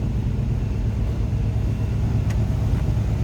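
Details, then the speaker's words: 1984 Chevrolet K20 4x4 pickup with 4-speed transmission and new muffler at idle: low, even V8 burble through the exhaust, no ticking, knocking or stumble; smooth, healthy-running engine. "Listen to that run. How smooth it is."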